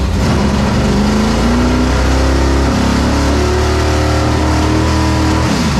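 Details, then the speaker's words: Dirt Late Model race engine: loud pitch climbs smoothly through the revs and falls back cleanly, crisp and even with no misses or knocks. Healthy engine revving. "Sounds good. Sounds real good. Sounds real good."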